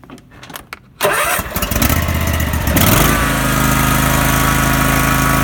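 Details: Husqvarna YTH18K46 riding mower: cranks and catches, then settles into an uneven, loping idle whose beat wanders instead of holding steady; rough idle.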